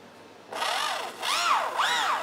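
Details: Freewing 64mm 4S F9F Panther V2 retracts after reversing channel five gear: quiet, then repeated whining sweeps rising and falling as gear motors drive through travel; normal retract operation.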